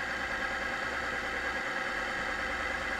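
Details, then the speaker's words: Chain lubricant testing machine running an e-bike lube under load: a steady rasping metal-on-metal scrape under a constant hum, with fling and smoke, as the oil film breaks down from high friction. "that sound you hear that is the metal on metal the scraping we will highlight it you can see the flinging and you can see the smoke coming out that's the breakdown of the oil due to the high the high friction"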